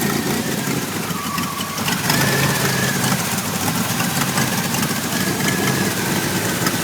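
V6 idling unevenly, the note wavering and stumbling with no steady beat, a clearly rough idle of unknown cause.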